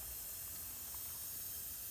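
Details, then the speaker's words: TO20 tractor, cylinder leak-down test held at about 90: steady soft hiss of air escaping from the crankcase past worn piston rings, no hiss at head, radiator or carburetor, so no blown head gasket. "we're just we're losing air from rings so there is no blown head gasket on this tractor"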